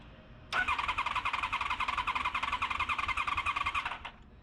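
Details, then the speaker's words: Honda VFR cranking after the starter was cleaned and greased; owners suspect flooding. Starter turns the engine at an even chugging beat for about three seconds, never fires: crank no-start. "I we probably flooded it yeah we just like trying to start it"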